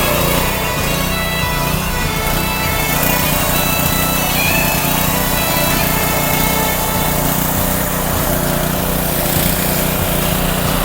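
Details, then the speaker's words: Subaru-engined pressure washer with a gas tank leaking near the cap and neck, after a temporary spray-on fix: small single engine holds a steady, even drone with no misses or knocks under background music. Runs fine, no leak seen yet. "oh no I don't see it leaking"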